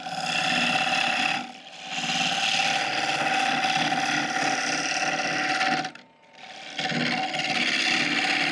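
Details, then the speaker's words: Woodturning lathe motor: steady whir with uneven rubbing scrape; the pulley's set screw and grub screw loosen so the pulley walks back and forth on the motor shaft, making the noise. "the noise came back what happens is the the set screw and the grub screw it's got a two- screw system they both loosen up enough that the pulley can walk back and forth on the motor shaft and create that noise"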